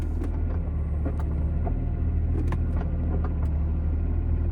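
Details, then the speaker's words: BMW M2 DCT after fitting polyurethane transmission mounts, driving: low road rumble with sharp clacks as gears engage; stiff mounts pass gear noise into the cabin, sounding like a race car. "You can already tell the transmission is really stiff. It's making quite a lot of noises inside the car. It does kind of sound like you're sitting in a race car. This is the gears engaging."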